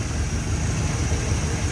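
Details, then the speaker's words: 1961 Chevrolet Bel Air, recently remanufactured 283 V8 with Turbo 350 automatic, hood open: smooth, even low idle rumble with no motor noise, ticking, tapping or exhaust leaks; healthy engine. "as i said sounds good listen to what you don't hear you don't hear any motor noise exhaust leaks in like that"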